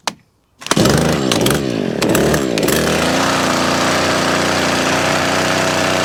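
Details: Stihl KM94RC with hedge trimmer attachment after gearbox gear replacement, freshly serviced with new air filter and spark plug; pull start catches, revs rise and settle into a steady, slightly uneven two-stroke buzz; carburetor may need a bit of tuning; normal running.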